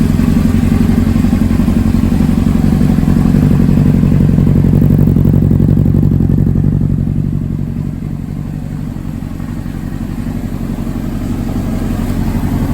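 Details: 2005 Honda CBR600RR, 4,299 miles, rebuilt after being wrecked and long stored; spark plugs replaced after old gas. Cold start: even, fast-pulsing idle near 230 beats a minute, settling lower as it warms, no misses or clatter. Normal idle.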